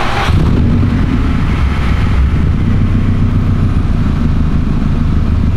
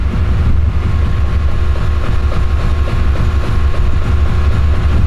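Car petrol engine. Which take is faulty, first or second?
second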